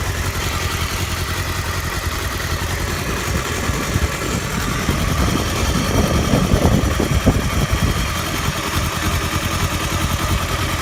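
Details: Honda Hornet 250 engine at idle: a single-cylinder-sounding, rough, uneven clatter that swells as revs rise; abnormal internal engine noise, cause unknown.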